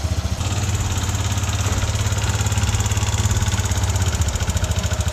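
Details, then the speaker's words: Yamaha NMAX V1 scooter before repair: a fast metallic ticking rattle rides over an even single-cylinder idle, roughly three beats a second. It was caused by a worn exhaust rocker arm, later replaced. "Ito yung pinalitan natin ng parts, yung rocker arm nya, exhaust. So dahil lang dito yung ingay."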